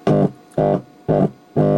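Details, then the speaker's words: Telefunken Bajazzo Compact 3000 vintage cassette radio recorder (18 V and 7.2 V PCB), finger touching amplifier input: loud low mains-type hum in four bursts, proving the audio amplifier works fine. "And that is telling you that the audio amplifier is working just fine, right?"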